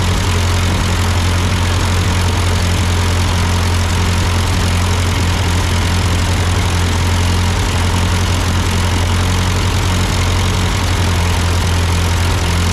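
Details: Ford 8N tractor idling after an amateur carburetor adjustment. Uphill sputtering had been traced to a cheap Chinese replacement carb; an old Marvel-Schebler ran fine. Steady, even low idle with a regular firing beat and no stumbling or surging; a normal idle.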